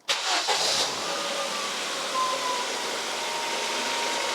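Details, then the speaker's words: Mk1 Ford Focus restarted after cambelt change and fresh oil: engine catches quickly and settles into a smooth, even idle with light top-end ticking that the owner says sounds more tappety on camera than in real life; healthy. "That sounds sweet. I know on camera that's going to sound really tappety or something. It never sounds as it does in real life, but that sounds so good."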